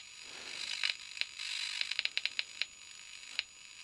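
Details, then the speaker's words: Victron Energie Atlas Combi 12V/800W charger/inverter, hipot test on the transformer primary: sharp, dry, irregular crackling clicks, about a dozen in four seconds, are flashovers to ground; transformer insulation suspected defective, and the unit is considered toast. "see that sounds bad the clicking noises we can hear is actually flashovers to ground so i think we have a defective insulation inside this transformer"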